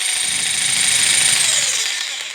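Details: Bosch PST800 PEL 530 W jigsaw rated for 220-240 V, run on 115 V: high, buzzy motor whir with a rough edge slows and winds down; struggles on too low a supply voltage.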